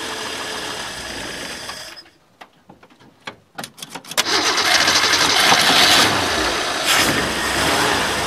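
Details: Ford Falcon after sitting all winter, fuel cell: sputtering cranking with a few catches, then it fires and runs loud and uneven; rough running at first, owner blames the winter sitting.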